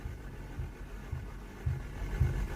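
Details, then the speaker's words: Boosted Civic with sticky valves, just after adding Sea Foam to the crankcase: slow uneven weak cranking pulses about twice a second, sounding like no compression then slowly building before firing; then idles fine. "Sounds like it has no compression. And then it slowly starts to build up."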